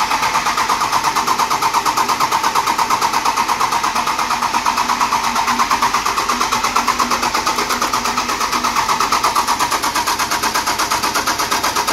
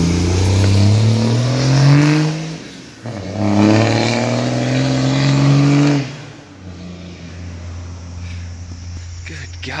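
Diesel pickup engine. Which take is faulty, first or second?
first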